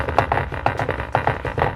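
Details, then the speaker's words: Honda CR-V rear door factory speaker playing music: buzzy, rattly distortion on every beat, blown speaker, to be replaced with Pioneer TS-A652 speakers. "You just hear the speaker. Oh, it's hating life."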